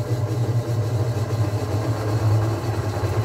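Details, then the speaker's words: Washing machine that had stopped spinning, with the door latch blamed, after repair and partly still disassembled: the spin runs quietly, a steady even low hum with no knocking or scraping; normal spin. "Olha gente até silenciosa trabalha bonito"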